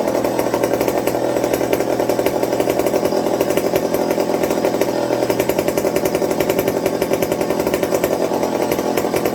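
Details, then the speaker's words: McCulloch 55 gear-drive chainsaw after fixing fuel starvation with a Scotch-Brite tank wick and a 090 carb swap: a crisp, steady two-stroke buzz at an even pitch without bogging or surging; running cleanly. "so i'm going to call that a win so like i said i said i wouldn't do the 0.90 swap but as we can see she's driving great with it"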